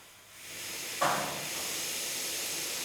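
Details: Deutz 6006 tractor after dirty, gritty hydraulic oil was found: quiet, then a steady strong hiss through the hydraulic lift valve once it opens, no sputter; it now works, and the owner guesses grit had lodged in the valve.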